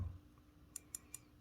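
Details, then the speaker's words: Pocket knife titanium clip sitting just above the scale, after sanding: three quick light metallic ticks as the clip is pressed, still a little rattle. "still a little rattle which makes me think maybe what I want to do is fold it one more time"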